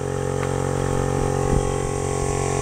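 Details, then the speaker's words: DIY solar-powered dam aerator with a 12 V air pump, running after its supply voltage was turned down to about 13.2 V (owner suspects the higher voltage overheated it): steady even hum with a low buzzing drone, no surging, a bit stronger than before; runs normally. "And now I'll plug the pump back in. That sounds a bit better. Um, a little bit stronger."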